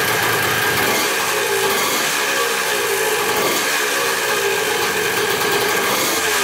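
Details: Possibly 1981 175cc two-stroke dirt bike, restarted after clutch adjustment: steady, buzzy two-stroke rattle holds an even idle speed without misses or surging; normal idle.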